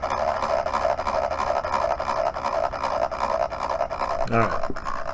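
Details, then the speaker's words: Dell Inspiron 15 3576 laptop, dropped, noise began while installing Windows updates: loud steady airy roar with a wavering, throbbing mid-pitched tone from the CPU fan, which stops spinning when pushed to full speed; abnormally loud fan. "the sound has begun it just suddenly started it's definitely from the cpu fan"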